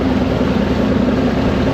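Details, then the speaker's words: Mid-1990s Mercury 115 hp inline-4 two-stroke outboard on a Ranger bass boat, lake test with loss of power and missing rectifier: low, burbling idle wavering unevenly; rough idle, bottom carburetor found wet, old power pack or stator suspected. "but it's like idling rough. I found that bottom carb was really wet."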